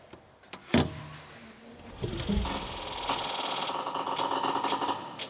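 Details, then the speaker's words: HGV safety inspection with engine running, air system charged and foot brake fully applied, listening at each wheel: rapid woodpecker-like tapping as brake valves regulate pressure, no hissing; normal valve chatter, no air leak. "can hear a lot of wood peckers going on but their valves fluctuating as they get control of the pressure no air leaks here at this wheel"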